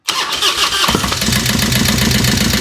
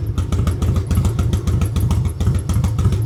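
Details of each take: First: Harley-Davidson Road King first fire-up after converting Magneti Marelli EFI to CV40 carburetor, choke pulled, in neutral: cranks, catches into choppy idle with light irregular knock; oil not yet flowing, suspected stuck lifter. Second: Harley-Davidson Road King converted from Magneti Marelli EFI to a CV40 carburetor, pushrods adjusted, carb retuned: deep, even potato-potato V-twin idle with no ticking after lifters quieted; runs normally, starts without throttle.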